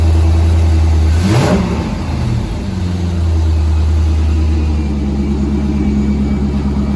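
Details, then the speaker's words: Corvette C5 with manual gearbox, 1990s non-runner, after a replacement PCM/ECU install: quick rev blip drops cleanly back to a steady, even V8 idle with no knocks or misfires. Normal running engine; fuel pump still not switching on, cause not yet found. "sounds good doesn't it it just it does sound good sounds Mega um and I'm glad to say that the engine sounds nice yeah it sounds Mega start it again"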